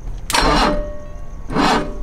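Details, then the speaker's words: 1986 BMW E24 635CSI, unstarted an estimated 6–8 months, started with a screwdriver (no key cylinder): two short sluggish cranking bursts that never catch; slow cranking from weak battery, needs more power. "oh got some lights oh it's going to need more power let's see come on come on come on"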